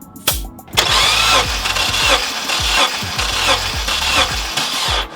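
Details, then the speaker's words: Honda Element K-series during compression test after a cylinder 2 misfire: starter cranks at an even beat, about three compression pulses a second with none missing; about 180 PSI, normal cranking, no head gasket issues. "So as we're doing this, it's good to give it maybe 5 cranks so you can hear that lobe pushover of the cylinder moving."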